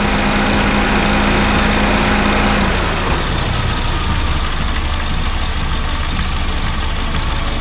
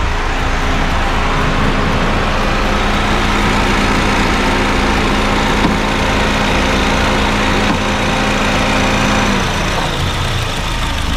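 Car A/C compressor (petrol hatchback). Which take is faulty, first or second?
first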